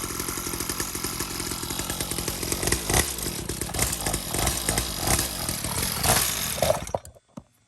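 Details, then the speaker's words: 49cc two-stroke dirt bike, newly installed replacement engine, new fuel line, fresh gas, choke on, being broken in: catches and buzzes raspily with uneven revs for several seconds before cutting out; fresh engine starting and running fine. "It's coming alive. Go light scroll. Just breaking it in. We don't want to go too crazy."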